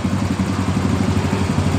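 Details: Yamaha Mio M3 125 injection scooter, previously hard to start and stumbling or stalling when throttled, idling after its injector was cleaned with carburetor cleaner: even, quick low putter with a light steady clatter, no stumbles or dropouts. Idles smoothly and healthy.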